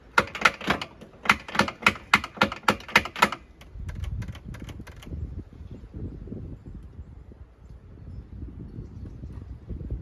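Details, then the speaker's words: Yamaha Phazer snowmobile: sharp dry clicks about three a second with no cranking, then only low rumbling; the starter clicks, apparently at the solenoid, but won't turn the engine over. The owner suspects a bad solenoid, not confirmed. "That sounds like it's clicking at the solenoid. Maybe I got the bad solenoid. It's just sitting there going."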